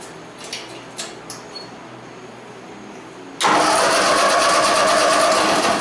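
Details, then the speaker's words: 1949 Ford 8N tractor after tune-up kit (points, condenser) install, run briefly on a temporary gas tank without coolant, carburetor unadjusted out of the box: quiet ticking, then it catches at once and settles into an even, steady run; normal start and idle. "well there sounds like she's a little bit of a tuner on the carburetor that's just right out of the box I didn't even I didn't just anything at all so that makes me pretty happy"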